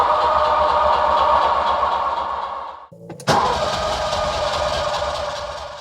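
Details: Ferrari 308 cranking on a cold start: starter spins it with even compression pulses, pauses, then cranks again without firing. Spark is confirmed at the rear-bank plugs. It has also been cutting out at speed.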